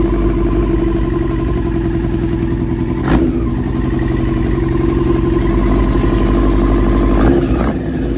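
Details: 2000 Yamaha R6 after diaphragm replacement and carb cleaning, which did not fix it: steady idle with an uneven, lumpy pulse and some clatter; still running rough, likely a carburetion problem that remains unresolved.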